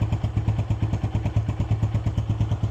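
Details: KP Mini 150 single-cylinder bike with Nibbi carburetor and new muffler (baffle in), just started cold without choke: deep, even thump about seven times a second with a steady beat; idles cleanly and healthily.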